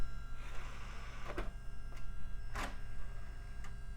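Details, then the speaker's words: Old Gateway tower's DVD drive while booting: steady low whirring hum with swishing surges about once a second, a spinning disc out of balance; cause suspected. "well staying open now still making that unbalanced sound oh well guess we just have to live with it maybe it'll blend in with the neighbor's lawn mower sound"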